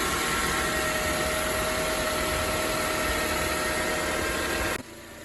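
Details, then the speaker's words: 2006 Acura TSX automatic idling after new power steering pump and fresh fluid: steady idle with thin even pump whine easing and getting quieter as it settles, no groan or cavitation; idle dropped too; normal. "you can kind of hear it getting a little quieter i need to tell but the car seriously went down too"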